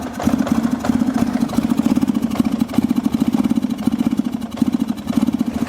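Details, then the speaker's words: Kawasaki 300 ATV, long stored with a fuel issue and dead battery, now idling on its own with the choke off: a steady, even putter from the small single with no misses or knocks, a normal idle. "That's idling. That is idling under its own power with the choke off."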